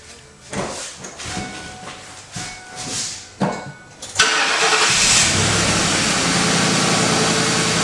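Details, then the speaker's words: 1996 Ford Mustang GT V8 after fitting a new intake: starter cranks about four seconds, catches at once and holds a steady even idle without stumbling; runs really well. "perfect that runs really well so we're good"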